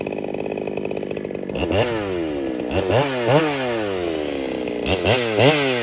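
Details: Ported Holtzfforma 395 chainsaw after build changes, bogging into repeated cuts and climbing back, with a faint hiss of air from the muffler whenever it runs; quiet saw, owner suspects the muffler ain't enough, cutting speed about unchanged.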